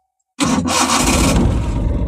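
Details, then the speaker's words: 1996 Maruti Omni (type one) with two-year starting problem fixed by replacing the distributor: brief crank, catches straight away and settles into steady even running without extra cranking; normal quick start. "பார்த்தீங்களா ஒரே இதுல start ஆயிடுச்சு எந்த சுத்துவாங்க இல்லைங்க எதுவும் இல்லை அருமையா start [இசை] ஆகுது"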